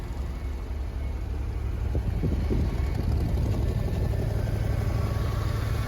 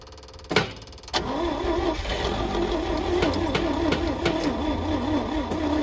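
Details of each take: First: Old Champ forklift, unknown year, sat for years, running after carburetor cleaning on temporary fuel tank plumbing; low steady engine beat about three pulses a second, even and unbroken; normal healthy running. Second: Old Champ forklift, unknown year, sat for years; fuel reaching it, battery on charger, engine churns over at a steady cranking rhythm for ten seconds without catching, then stops; owner suspects choke or Murphy switch.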